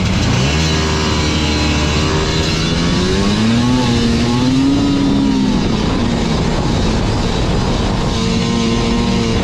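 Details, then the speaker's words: Liquifire snowmobile two-stroke at 20°F, bogging from quarter throttle up; revs climb then stumble and sag, improved after adjusting to 30-thousandths clearance, but clearance found gone afterward, suspected cause of remaining bog; must adjust with dash down. "as you can see our 30 000th uh clearance here is no longer there so I'm thinking that's why it was still doing the bogging thing but it has gotten a lot better"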